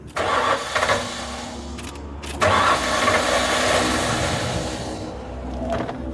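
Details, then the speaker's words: Auction truck in Phoenix, just after a leak check, pump heard priming: long uneven starter churning bursts, no catch; extended cranking, no start, owner suspects air in it. "Oh, boy. Come on. Let me turn the key on again. Probably just got air in it. I hope that's it."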